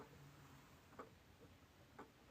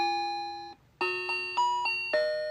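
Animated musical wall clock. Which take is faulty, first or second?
second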